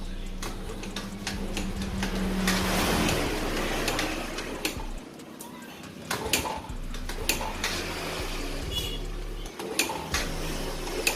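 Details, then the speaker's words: Yamaha Vega Force underbone motorcycle that is hard to start and uses too much fuel: irregular kick-start strokes with a weak, uneven chuff and no catch. This suggests some loss of compression, though not a large loss. "itu sepertinya ada memang betul kehilangan kompresi tapi tidak banyak ya teman-teman kemungkinan kendalanya ada di kompresinya yang sudah mulai hilang"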